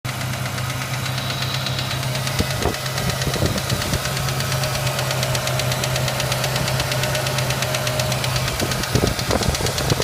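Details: Ford Ranger: steady idle with a fast, fine tick and a few heavier taps mixed in; engine ticking of unknown cause.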